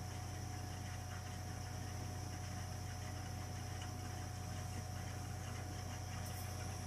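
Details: Burnham Alpine ALP150W gas-fired boiler, 3 years old, frequently rumbles when running: steady low rumble with pulsing throb around two per second under faint hiss while firing; cause unknown.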